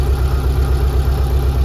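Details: 1974 VW bus with Subaru engine, belly radiator trial run without a cooler after dead-battery start, good oil pressure, engine not yet hot; steady low even rumble with no knocks or misses, smooth healthy idle.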